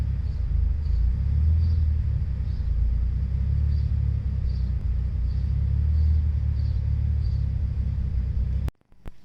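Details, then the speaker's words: Turbocharged Megasquirt flex-fuel car on 24% methanol blended with 91 octane, hot start: smooth, even low rumble at steady idle for several seconds, then switched off; no stumble or miss, healthy. "all right with 24 methanol on a hot start just want to show you kind of what that's like so this is just literally flicking the key"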